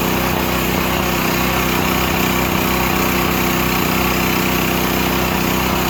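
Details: Used Stanley 8000 W all-weather generator, sat four years, running after a starting-fluid start, choke off; steady, even drone with no misses, knocks or surging, settled constant run, normal running.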